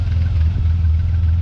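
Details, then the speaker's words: Red Vauxhall Astra saloon, started by hotwiring at the workshop; deep steady low rumble with even pulses, no ticking or knocking; engine idling smoothly, "running really nicely just pumping away". "hmm running really nicely just pumping away there"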